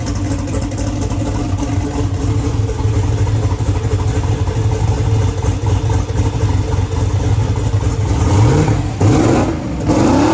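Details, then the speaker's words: Newly built twin-turbo door car's engine first start after fuel, water, injector wiring and driveline work: rough but steady idle with a couple of short blips; running normally. "This thing is finally alive. I don't know what you do that. How good is this? Bit of a long road over the past few weeks, but it's alive."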